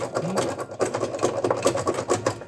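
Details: Consul Facilite 10 kg washing machine after replacing the agitator cam set: quick, even clatter repeating steadily a few times a second with no grinding or banging; sounds normal.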